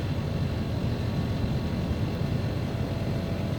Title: Split AC Abnormal Sounds and Vibrations